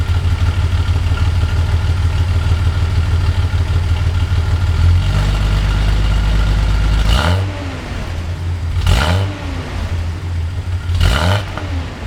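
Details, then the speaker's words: 1982 Datsun 280ZX, otherwise stock, with Motorsport Auto ceramic-coated header, 2.5in straight exhaust, K&N intake, rebuilt EFI, about 37°F outside; deep steady idle then three throttle blips, light then heavier, rising and falling cleanly with crisp exhaust bark; revs freely, normal. "But here's what the exhaust sounds like. I'll go ahead and whack the throttle lightly and then heavier."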